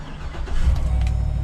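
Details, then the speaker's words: Used pipeline truck at an equipment auction: a short crank, then the engine catches at once and settles into a steady, even run with no check engine light on; a clean, healthy start, and it drives forward and in reverse. "it fires right up i don't know why it's here"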